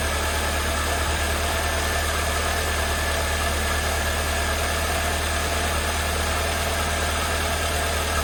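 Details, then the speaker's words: 1988 Mercedes 190E W201 first start after valve stem seal replacement, following a no-start possibly from lack of fuel; cold day; steady low idle with a loose, uneven pulse, still running rough with slight misfiring. "Okay, the car starts. Have to give it a little chance to still running a little bit rough. But to be honest, it kind of misfiring a little bit."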